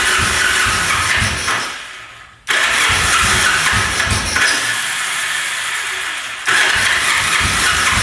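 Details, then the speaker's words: 1974 Yamaha TX500 motorcycle, sat 27 years in a barn, oil poured down both cylinders, choked, about 50 start attempts: starter churns about four turns a second, puffs a couple times and stalls, never catches; low compression no-start. "Well, I have attempted starting this thing probably 50 times now. Putting oil down there, trying to start it. you know, it puffs over a couple times and stalls out."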